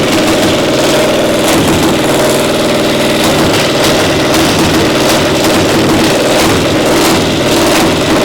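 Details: Pony (starting) motor of a Caterpillar Diesel 70 under restoration, rope-pull started: uneven, stumbling beat with dropped firings, one cylinder hitting intermittently despite a good blue spark; spark plug suspected, misfire from faulty magneto cap.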